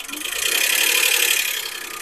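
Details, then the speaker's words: Toyota Crown petrol engine running: fast, light ticking from hydraulic lifters losing pressure as sludge and carbon, entering because the left oil strainer was missing, block their oil holes; dealer proposed overhaul, noise gone after fix. "如果有些什么积碳啊、杂质啊、或者密封胶啊挡住那个油孔的话，它这个油顶杯的话就会泄压，导致它出现异响。"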